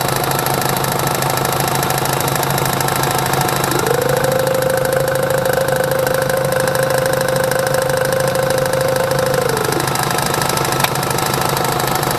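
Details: 2005 Chevrolet Tahoe, new power steering pump knocks about twice a second at idle with a strained whine under steering or brake load, louder as fluid warms, gone with throttle; valve and steering box replaced, hydroboost bypassed, no fix.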